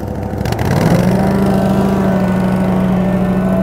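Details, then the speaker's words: Grand LX valve maintenance trailer vacuum system, engine throttled down, vacuum relief open, vacuum and water both on: a loud, steady high-pitched blower scream with no surging or rattles, showing good, healthy vacuum. "You can hear the vacuum screaming away right now. We have good vacuum there."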